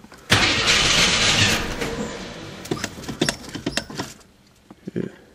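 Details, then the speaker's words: AMC Eagle carbureted engine, cold windy day, new Optima battery, vac advance just moved from ported to manifold vacuum: starter whirs without catching, then scattered clicks; cranks but won't start. Owner suspects not enough choke; carburetor burping fuel out. "it's probably because i do not have enough choke let's want to start really bad it's just burping fuel out too that's not cool"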